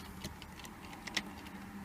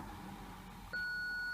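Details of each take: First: BMW E46 Touring rear parking system after fitting a new eBay sensor, ignition on, reverse engaged: a steady train of quick, even beeps, about three per second; the parking sensor system is working normally. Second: BMW E46 Touring rear parking sensors, ignition on, reverse engaged, newly fitted eBay sensor (arrived with a broken tab) unplugged: one continuous high beep without pulsing, meaning a missing/faulty sensor; with the new sensor plugged in, no beeps at all.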